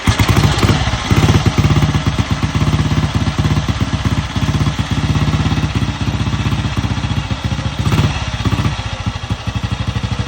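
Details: 1953 Ariel NH 350 Red Hunter single, cold start with choke closed, timing on advance, carb tickled and compression release used: slow, lumpy thump at about two beats a second with fast ticking over each firing, settling steadily. Healthy start.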